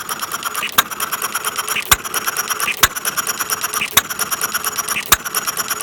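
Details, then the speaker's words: Half-scale Domestic side-shaft hit-and-miss model engine, 9-inch flywheels, make-brake ignition, gravity-fed fuel, set to run fairly slow in cold weather; sharp single bang about once a second with quiet coasting, healthy. "okay let's fire this baby up don't you hear it run for a little bit I have it set to run fairly slow right now"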